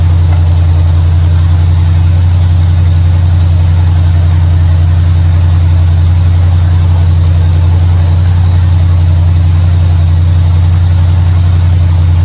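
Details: 1955 Chevrolet Bel Air, carbureted, running after ignition bypass and carburetor mixture/air screw adjustment: deep, steady idle hum at even pitch, no misses or stumbles; idles much better than before, a normal idle.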